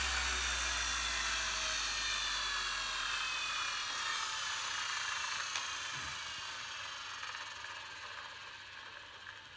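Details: Bosch GEX 125 AC random orbital sander converted to GEX 150 AC with a new holder and replaced bearing, test run after the repair: high even whirr that spins down smoothly, no rumble or rattle.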